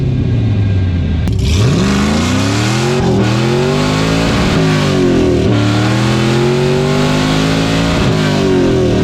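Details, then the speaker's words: LS-swapped Chevy S10 Blazer with a cammed engine: revs rise and fall, with sharp pop-pop-pop backfiring whenever the throttle closes on deceleration; old spark plugs, owner hopes new plugs fix it, cause unconfirmed. "So, it has been doing this backfiring thing on deceleration. Like, whenever you get on it and you're decelling, it'll pop pop pop pop pop."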